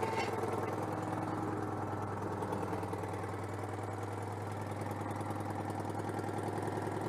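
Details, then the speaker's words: Citroën 2CV AZLP6 flat-twin with new centrifugal clutch, cleaner residue still leaking: low putter that never settles, slightly uneven idle; owner attributes rough running to disconnected crankcase breather. "ah bah c'est pour ça aussi que ça tourne pas rond le renifle année par"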